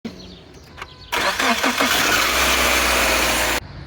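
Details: Subaru Outback factory starter 23300AA710 (1.2 kW): a harsh scraping grind of about 2.5 seconds, only while cranking, that cuts off cleanly. Cause is a worn starter bushing (23319AA030) and brushes (23330AA050); it was replaced with a 1.4 kW starter, 23300AA570.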